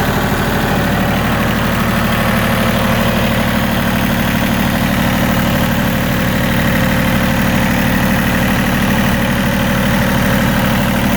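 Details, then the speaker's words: Yanmar YM1820D 4WD diesel compact tractor starting right up with no smoke and settling into a steady, even diesel clatter at idle with no misses or misfires; sounds healthy. "You see it starts right up, no smoke, sounds really nice. Engine doesn't miss or misfire."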